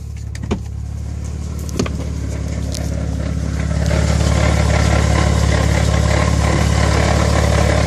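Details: 6MT gearbox rattle at idle: steady low idle with a quick, even rattle about three and a half times per second riding on top; cause unclear.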